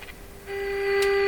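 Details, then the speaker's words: Canadian Westinghouse Model 684 tube radio in rough shape during IF alignment, with a moderately strong IF signal fed in: a clean, steady tone around 400 Hz, low volume; the radio is receiving the IF frequency properly. "okay so that means this thing's receiving that IF frequency the volume is a little too low hear it"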